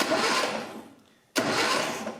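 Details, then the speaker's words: Long-abandoned 1968 Datsun 520 pickup, hot-wired and very low on oil, cranked for the first time: two bursts of brisk, even starter cranking with no grinding or binding, turning over freely. "it sounds sounds good"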